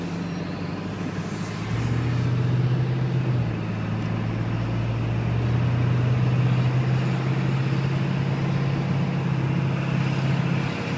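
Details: 7.3 turbo diesel running cold: heavy, loud low drone that swells and eases slightly; loud noise when cold, cause unknown.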